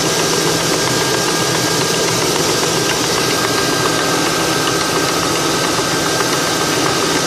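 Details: 2002 Ford Crown Victoria P71: fast, light ticking at idle that follows rpm slightly behind the revs; a broken plastic baffle under the PCV vent was flapping against the cam lobes.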